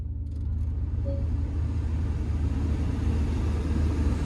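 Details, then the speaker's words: 2013 Porsche Cayenne Turbo, 94,000 miles, no service history, oil overdue: fires up promptly and settles into a deep steady rumble without stumbling or knocking; check engine light on; normal start and idle. "Fires right up though."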